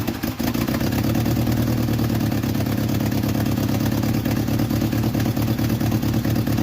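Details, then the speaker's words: 1986 Jeep Comanche, 2.5L, running with the valve cover off after lifter work: uneven, lumpy idle with an irregular low chuff and clatter on top. Runs rough, worse than usual. "wow it sounds like it's running even worse than it normally does huh"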